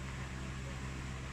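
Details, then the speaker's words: Standard orbit fan (school unit), after cleaning and oiling the bushing with oil foam, running on its old capacitor for comparison: steady low motor hum, soft air whoosh, blades turning lazily slow; weak fan capacitor. "Okay patakbuhin na natin ito pa yung luma niyang capacitor para ma-compare o yan ang luma niya number one o"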